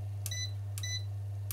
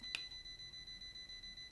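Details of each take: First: ERGO FS 1677 fan after repair by replacing a failed 400 V capacitor; before repair it beeped when plugged in and shut off: three short, clean high button beeps about three-quarters of a second apart over a steady low motor hum; controls respond and the fan runs. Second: ERGO FS 1677 fan plugged in: short motor jerk, then thin high-pitched beeping; runs only on speed 1 and stops when speed is raised; suspected power supply fault, dropper capacitor failed and starving the control board.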